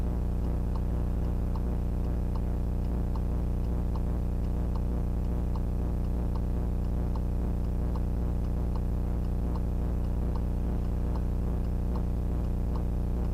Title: VIOFO A119S Very Loud Noise on the Footage